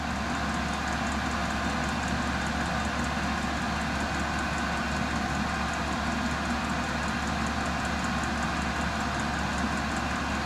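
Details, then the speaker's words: Diesel air heater with exhaust muffler heating a shed; even steady whooshing whistle-like drone with faint fast fuel pump ticking, no surging or popping; normal running. "this thing's not really loud it just makes a kind of a whistling noise and the muffler kind of uh dissipates that Whistling noise so which is great"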